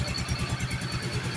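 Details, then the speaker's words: Yamaha Soul GT 125 / Mio M3 scooter after installing a steel-lined cylinder block: the small single pulses at an even quick beat with no knocking or rattling. Smooth and quiet, with no noisy exhaust or smoke; normal running. "Kita bisa nilai suaranya sudah halus dan tidak ada"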